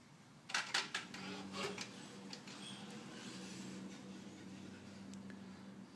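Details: 2013 Ford Focus, engine off, after opening and shutting a door: clicks then a whir from the right side of the engine, repeating about every 8 seconds up to around 25 times. Dealer called it normal; fixed by TSB 13-4-18, unrelated to grille shutter noise.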